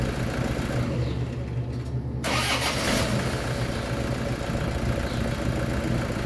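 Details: Toyota Hilux D4D diesel after starter motor overhaul with solenoid contact points cleaned and reshaped: cranks briefly, starts about two seconds in and settles into a steady, even idle.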